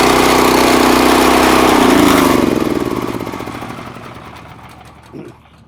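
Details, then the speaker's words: Honda GX340 11 HP single-cylinder engine salvaged from discarded pressure washer, run briefly without water: strong even beat, no misses, spins down smoothly at shutoff; normal running. "Well, that answers that question. It will crank up."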